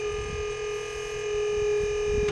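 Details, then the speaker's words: New pump installed on a dump trailer lift, fresh hydraulic fluid: steady high squeal over the pump motor under load, then it stops abruptly. Relief valve bypassing; 3-ton load apparently too much for the cylinder, possibly air in the system. "It's not squealing yet. Ah, there it goes. It's bypassing."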